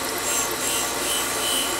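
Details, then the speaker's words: MGB valve refacing on a valve grinder, new valve in air chuck against stone: steady high rasping hiss, even and unbroken, slight run-out audible; cleaned up with under a thousandth in-feed, valve quite straight. "well that cleaned up in in about a half a th you hear a little bit of run out there but that's not unusual so this valve cleaned up in less than a thousand in feed so it was quite straight"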